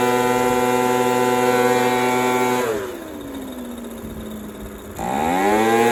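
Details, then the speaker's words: Echo PB230LN older handheld two-stroke blower that wouldn't rev up, running with a rock-hard purge bulb after new fuel line and filter; high even buzz drops smoothly to idle then snaps cleanly back to full revs; seems good. "Seems good. The bulb is full, but it just see. It's going. It's working."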